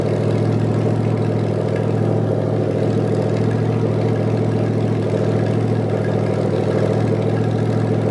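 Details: Rebuilt '73 Canadian truck 350 Chevy V8 with replaced piston and rod, big cam and fuelie heads, on first run-in with no radiator fan, warming to adjust valves: lumpy loping idle, steady deep rumble, even rhythm, no knock or tick; healthy.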